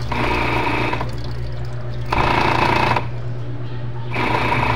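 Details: Top-load washing machine, noisy after pulsator check found no blockage: motor hum rising in roughly one-second bursts with rough clatter between pauses; drive belt slipped off the motor pulley.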